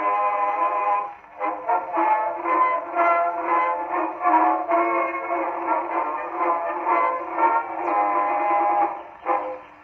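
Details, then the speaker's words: 1919 Victor Victrola VV-IV #437504 after overhaul (new governor assembly, main spring, spring drum, felt; rebuilt Exhibition reproducer): WWI-era song plays at steady speed, no wow, flutter or skipping; clean healthy spring-wound playback. "That actually played really well. First time I've heard this particular copy of it."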